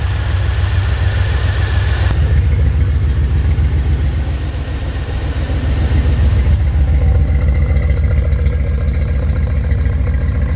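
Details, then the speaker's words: C4 Corvette V8 after its first start in 12+ years, with a new Bosch fuel pump. After running a while, the rumbling idle is a little better but a faint stumble remains as a slight misfire. The owner is unsure whether it is the spark plugs, plug wires or coil. Some white smoke comes from the rear. "oh it seems a little better now it probably just needed to run for a little bit i still can feel a slight misfire something's not right"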